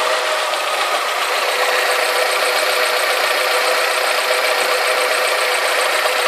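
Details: Alfa Romeo 156 2.0 Twin Spark at idle after replacing the exhaust manifold and metal gasket and refitting the manifold bracket: quieter and even, but a light ticking of three to four taps a second remains; mild pinking, reduced.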